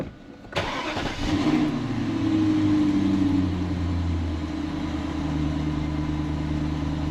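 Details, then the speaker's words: BMW on engine start, not in gear: the engine catches and settles to idle with a light metallic rattle about four times a second. Owner suspects a loose heat shield and rules out the drivetrain; flywheel is unsure. "You guys hear that rattle when it started? I think it's the heat shield. There's something loose."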